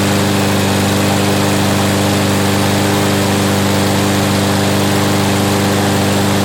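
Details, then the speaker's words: Toro 7.25 hp 163cc Briggs & Stratton front-wheel-drive mower that wouldn't start after winter storage with fuel left in, now repaired: steady, even drone with constant firing rhythm, no misses or surging; normal running. "Well, there you go. It's running now."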